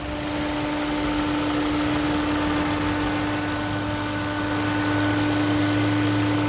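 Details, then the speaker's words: 2011 Ford Fiesta small four-cylinder with manual gearbox, heard at idle with the hood open: steady even idle, constant low hum, no knocks or misses; normal idle. "this it's just a small little four-cylinder so it'll get good gas for you"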